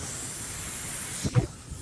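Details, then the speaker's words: Badger 105 Patriot airbrush: constant thin hiss of air escaping without the trigger touched, never shutting off, then handling noise; air valve stuck open. "sometimes it's just letting air constantly flow through it I'll show you what I mean right now"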